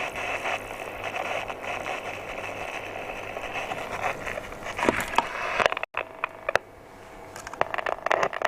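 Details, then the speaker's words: Hacker VHF Herald RP37/37A radio under repair: hissing, crackling noise with faint broken fragments cutting in and out, distorted weak signal near channel 21; oscillator possibly way out or base bias circuit suspected, fault unconfirmed. "so you can hear there's something trying to work there but it's"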